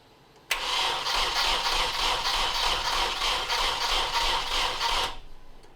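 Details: Nissan 240SX S13 coupe with KA24DE swap, after ECU swap, spark plugs and distributor being checked: about five seconds of even starter cranking, roughly three beats a second, no firing; cranks but won't start.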